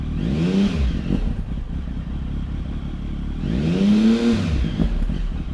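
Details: Triumph Tiger 1050 ABS, 2013, 16,365 miles, fully serviced, Arrow silencer: engine catches, blips up twice with a rising growl and settles between; no knocks or rattles, normal healthy start and idle.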